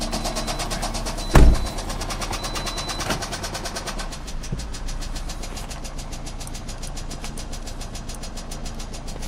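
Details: 2009 Pontiac Vibe 2.4 before engine replacement: clunk at startup, then a fast, even metallic knock keeping pace with revs; rod knock.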